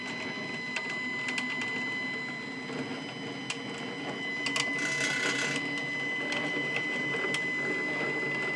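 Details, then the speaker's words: New Stepcraft 840 CNC machine during setup, just after loosened parts were snugged down: as the gantry travels back along the axis there is a steady high-pitched whine with rough buzzy chatter and irregular ticks, noisy travel, cause not identified. "now let's see if it'll go back and clear clear that and now we're going to go back boy does that sound like"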